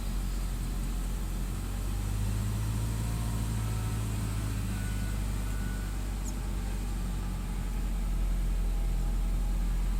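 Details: Saab after hard-start fix, fuel injectors with a poor spray pattern professionally cleaned and rebuilt: low, smooth, even idle with no misses, stumbles or knocks; engine running cleanly.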